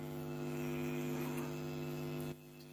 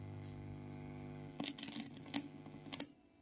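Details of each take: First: Class D 2.1 amplifier build with all wiring and earthing done: steady low buzzing mains hum from the speakers; grounding the minus did not stop it, pointing to the board not tied to the chassis. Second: Class D 2.1 amplifier: a steady low mains hum drops away after a few sharp clicks once the missing wire to the board's body/ground is connected, leaving the amplifier running quiet with no hum.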